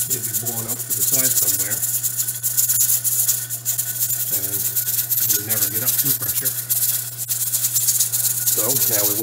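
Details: Pressure canner of potatoes with a weight regulator, heat turned down after reaching pressure, during the 40-minute cook. Steady, busy metallic jiggle over a low stove hum, showing a good seal. Normal regulator rocking.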